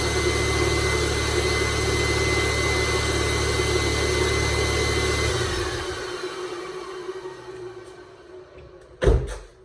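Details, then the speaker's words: 2002 Volkswagen Jetta MK4 2.0L started after an oil change: loud steady scream over idle for about five seconds, then winding down and cutting out. This is the secondary air pump doing its normal cold-start run. No leaks. "That loud screaming sound you're hearing is the secondary air pump. Shuts off in a second."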